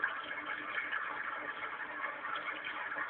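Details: Newly installed cat water fountain: steady trickling water with no rattle or buzz from the pump, running normally.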